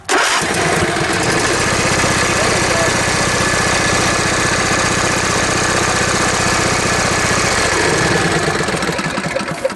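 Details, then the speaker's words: John Deere riding mower, twin cylinder, with no spark on the left cylinder and the right cylinder firing: it runs with an uneven, limping beat on one cylinder due to a dead ignition coil. "So this cylinder is firing. That cylinder is the problem."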